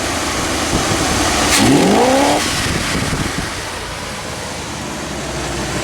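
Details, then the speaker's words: 1982 Chevy G30 camper van with 4-barrel spread-bore carburetor, after base ignition timing adjustment at the distributor: engine picks up cleanly into an even, steady run with no misfire or stumble; normal running. "That's a lot better."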